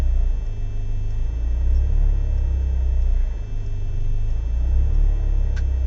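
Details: BMW E36 318is coupe, M42B18: a deep, uneven idle that surges and sags every second or two, cold or warm. Smoke and higher fuel use; no leaks found, ICV and MAF already cleaned. Rough idle, cause unknown.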